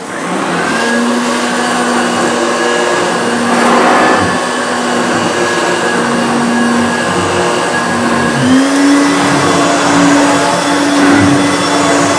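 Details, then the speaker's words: 1980s Hoover U2332 Turbopower upright vacuum on low power over a rug: steady motor hum whose pitch wavers and steps up as the agitator drags and stalls; drive belt too slack, needs a new belt. "what's happening is definitely needed leave a new belt because I can I can hear the agitator sort of stalling because the belts obviously not taught enough"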